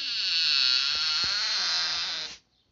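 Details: House door swinging: long high raspy squeal rising and falling, stopping when the door halts; squeak traced to a door hinge.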